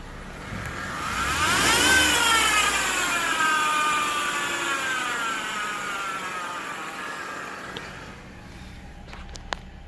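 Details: Jeep JK Wrangler: a high, layered whine climbs with revs then falls as it settles, from a bad idler pulley bearing; replacing the pulley cured the noise.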